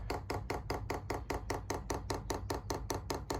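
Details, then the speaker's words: Chinese diesel heater fuel pump in a Transit Jumbo camper van, priming mode: crisp, evenly spaced steady ticks several per second as the pump draws fuel from the tank; normal priming. "And now you'll hear the pump start ticking, and that should be priming and pulling the full fuel through."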